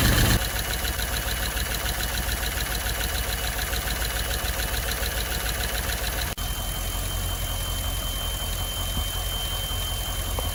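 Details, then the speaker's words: Holden Calais with L98 LS V8, first start after engine teardown and rebuild to fix a knock, with gaskets, seals and worn parts replaced; catches and settles to an even, smooth idle with no tapping, quietening down and sounding healthy. "Definitely starting to uh quieten up, which is great."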